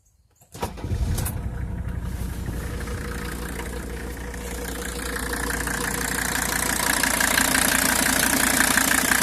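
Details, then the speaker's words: 1985 Mercedes 300D turbo diesel, odometer 312,000, engine possibly not original; short crank, catches on first try, settles into even steady diesel clatter with no misses: normal diesel start and idle. "it starts right up on the first try"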